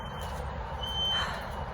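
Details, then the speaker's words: Thin high beep, a short chirp then a longer steady tone, over outdoor rumble; loudest upstairs by the apartment door and window, fire alarms disabled, no car alarms, source unknown. "Why is it loudest up here? And there's absolutely nothing to make this noise. This is really bizarre."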